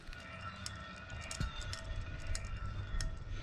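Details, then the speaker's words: 2007 Freightliner Columbia, Series 60 Detroit: removed fan clutch hub spun by hand ticks irregularly and whirs with a rough grinding ring from bad bearings; hub was near failure and replaced. "the bearings in there they're bad can you see them actually moving in there just listen to this can you hear them ticking"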